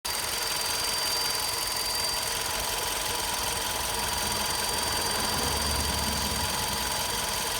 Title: GOLF 6 Confortline 122 tsi bruit moteur à chaud